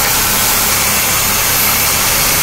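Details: Engine at quiet idle with a constant sharp hiss that doesn't change; vacuum leak found by listening around the intake, traced to a disconnected heater-control vacuum line, hiss gone once reconnected.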